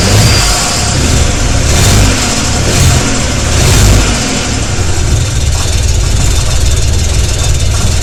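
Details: BMW E91 LCI 335xi with N54 engine and bad injectors: starts and revs with an uneven, stumbling beat and rough low-end pulses at idle; misfire.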